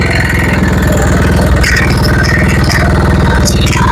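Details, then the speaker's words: Honda Vario Techno 110 scooter (KVB): loud, rough "ngebletrak" clatter with metallic rattling over a fast, even idle beat, pointing to a worn, loose cam chain. The chain area is to be opened next for inspection. "Maksud saya seperti itu suara yang kasarnya ya. Jadi suaranya agak ngebletrak ya."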